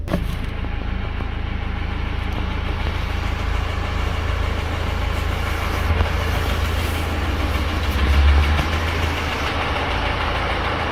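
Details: 2018 BMW X1 xDrive18d F48 diesel, 80,000 km, idling with sudden-onset hard metallic knock about four times a second from the bottom end, like rod knock; diagnosed as a broken piston, cause unknown.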